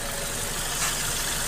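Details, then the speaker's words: 2008 VW Golf 5 1.6 petrol after replacing spark plugs and gaskets, which fixed a cylinder-3 misfire and idle rpm jumping up to about 1000: a steady, even idle with a smooth hiss and no hunting or surging. Healthy. "Друзі Ну все пластівка на повном ходу тихенько гарненько працює обороти стабільні"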